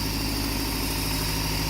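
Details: Honda Civic with H22 swap after replacing cam gears to check timing: steady low idle with faint uneven pulse, crank pulley wobbling heavily, cylinder two suspected; uneven idle, cause unconfirmed.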